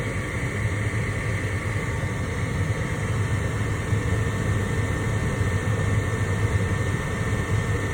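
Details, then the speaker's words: Lennox ML180 gas furnace with a no-heat fault: with the door switch held, the combustion inducer blower starts and runs normally with a steady low hum and faint high whir; the igniter is then heard working. "So I'm just going to hold the door switch, see if it kicks up, and there it goes. Combustion blower."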